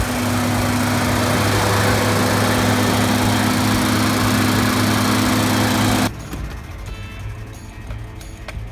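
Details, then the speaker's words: Toyota Land Cruiser FJ60 barn find, just started in the cold after long struggle, smoking while burning off Sea Foam: steady, even low hum with no misses or knocks, then shuts off; normal idle. "Just like that, she's running. She's burning off the sea foam that we put in the motor, trying to clear her out. She actually sounds pretty good though."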